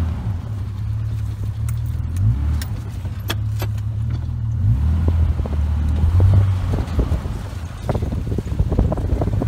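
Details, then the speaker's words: Jeep drive shaft after U-joint replacement, in four-wheel drive on slow tight-turn test drive: only low smooth driveline rumble, no crunching or clunks; joints not perfect but holding. "brought you joints aren't in perfect shape but they'll hold up for now"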